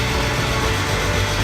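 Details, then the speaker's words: BMW E36 328i, 2.8 L six-cylinder, first start after seven years abandoned, following a fuel pump fix: coarse, uneven, lumpy idle. Rough idle of unknown cause; owner thinks it may need an oil change. "It didn't sound great, but it's definitely alive. Maybe it does need an oil change."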